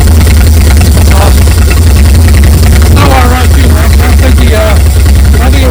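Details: Late-1950s GMC pickup (1957 or 1959) revived after more than 30 years, with the oil leaks fixed and coolant added: a steady, even low rumble with a smooth, unbroken beat and no misses or knocks as the V8 idles cleanly.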